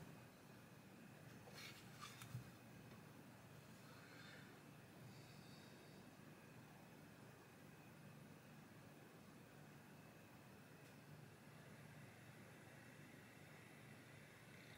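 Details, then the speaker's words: Hisense air conditioner indoor unit board on the bench in ventilation mode with a known-good test fan fitted: quiet, steady fan hush for several minutes with no auto shutdown, confirming the original fan caused the fault. "جب تک ہم چاہیں انتظار کر سکتے ہیں ابھی چند منٹ ہو چکے ہیں جو آن رہے گا بند نہیں کرے گا یہ آٹو شٹ ڈاؤن کی غلطی نہیں دے گا کیونکہ عملی طور پر مسئلہ ایئر کنڈیشننگ پنکھے کا ہے"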